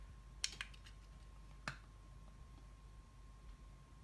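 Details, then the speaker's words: Amcrest ProHD IP2M-841B IP camera, room lights turned off: against a quiet room a few sharp, light clicks as the IR-cut filter switches into night mode after a delay; normal. "the night mode should kick in but it's not there we go it just took a while you heard a click and there it is"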